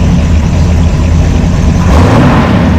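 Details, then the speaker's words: Engine with a Brawler 650 CFM carb, mixture set 1 turn out on all four corners, about 10 in. of vacuum with the big cam and throttle-body spacer: a deep, steady lumpy idle without hunting or stumbling, running smoothly. "You can see it's really smooth though. The engine's not hopping around all over the place."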